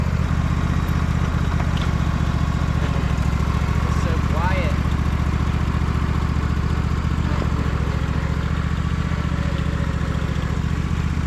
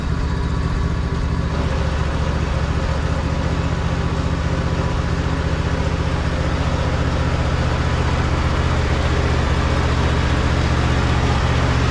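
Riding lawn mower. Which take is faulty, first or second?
second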